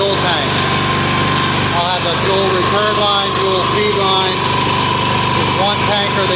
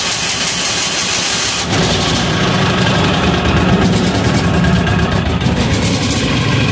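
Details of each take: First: Hot Amazon 186FA diesel idling on filtered used synthetic motor oil fuel, no longer smoking; even, steady clatter with birds chirping, no misses or hunting. Normal idle. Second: Amazon 186FA single-cylinder diesel trying filtered used synthetic motor oil, with leftover fuel in the line and diesel added: cranks, catches about two seconds in, then runs loud and uneven; rough start from air pockets in the fuel line.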